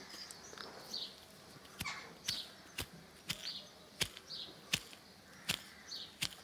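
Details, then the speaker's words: 2005 Harley-Davidson Electra Glide lifter removed, roller turned by hand: irregular gritty rasps about once a second, quiet between; roller not loose but owner is certain its worn bearing causes the engine noise; lifters being replaced. "you can sort of hear a horrible grainy but they're not they don't feel loose like you can't get out of the the roll and and lift it up and down um but that's I'm 100 percent sure that that's what causing all this noise"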